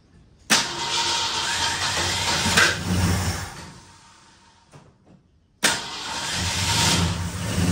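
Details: 1964 Ford Fairlane barn find, 30,000 original miles, sat about 13 years, new battery, first start attempt: engine catches, runs ragged and uneven, fades and dies, then restarts; misfire caused by breaker points gapped too wide.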